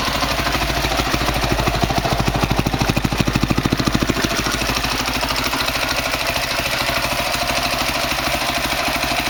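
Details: 2003 Honda CRF450 four-stroke, first start after engine rebuild for seized connecting rod and blown rod bearing, started without choke: crisp, even single-cylinder beat at steady idle, no knocks or ticks; normal idle.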